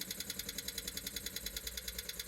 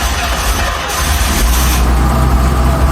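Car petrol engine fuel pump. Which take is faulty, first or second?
first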